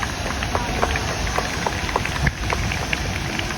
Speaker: Also, the sprinkler on the right is already going off, and that room is pretty much protected because of the sprinklers and what they do.